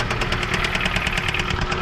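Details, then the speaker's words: 2007 Jeep Compass (possibly 2008), about 156,000 miles, first crank: sharp, regular, heavy metallic knocking about eight times a second over the idle, deep in the block. Owner suspects rod knock; the engine soon died, possibly seized. "oh yeah guys she is knocking oh she's got a good knock man let's go ahead and check this thing out definitely sounds like she has a road knock guys"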